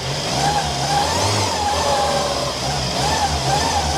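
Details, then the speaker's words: Engine revving up and down cold after a complete carb rebuild, mechanical fuel pump failure and new battery; pulls evenly with no tapping or misfire, sounds healthy, expected to rev more freely once warm. "But once it warms up, it'll rev more freely. But look at that, and listen to it. It's not tappety or anything, it's bloody lovely, running nice."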